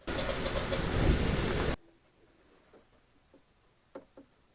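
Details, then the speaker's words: Generac standby generator auto-starting through a transfer panel, heard through open cellar windows: a loud burst under two seconds, then quiet with faint clicks. It fired but failed to start, and will retry. "the generator failed to start it's going to retry"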